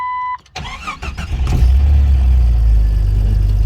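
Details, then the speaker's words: 22-year-old four-wheel-drive Jeep with 165,000 miles cranks briefly, catches quickly and settles into a smooth, steady low idle with no knocks or ticks. It runs very well, a normal start and idle. "fire's heard up sounds good no knocks no ticks runs very well"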